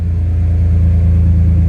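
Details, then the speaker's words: BMW with S54 engine swap, first start after fixing fuel pump priming and blown fuses, 255 fuel pump, booster pack on, oil topped off: deep, smooth, even idle rumble at steady speed with no misses or knocks; normal idle. "There we go. 255 pump seems to work just perfect on it, so we won't really know these things until we take it on a test drive."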